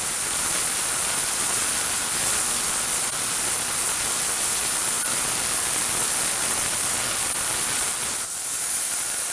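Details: VEVOR 8-gallon ultrasonic cleaner running with unheated water at 19 degrees: a steady high hiss with fine fizzing like bubbling water, even throughout, moving dirt. Working normally.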